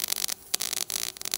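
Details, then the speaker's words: Everlast Power i-MIG 315 with CO2 gas and 0.030 ER70S-6 wire on carbon steel, at 18.0 V with wire feed speed raised: a fairly even crackling sizzle with brief gaps. It is close to the sweet setting and still needs slightly less voltage. "all right hear that sounds a lot better"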